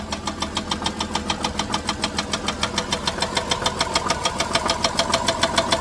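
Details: 2007 Dodge Grand Caravan: sharp, regular knocks about two per second over the idle, staying even; owner suspects loose torque converter bolts, cause unconfirmed.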